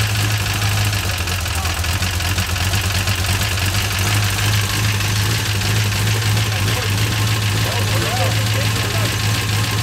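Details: 1970 Cutlass with 6.0 LS, 4L80E, stage 2 cam, base tune, at startup idle: lumpy cammed idle with faint quick ticking on top; tapping suspected loud lifters, not certain.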